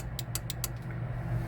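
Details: Jeep Comanche with a faulty horn, before fitting a Pittsburgh 12V twin-disc horn set: four sharp clicks from the horn relay under the dash beneath the steering column and no horn note at all, so the relay switches but the horn is dead.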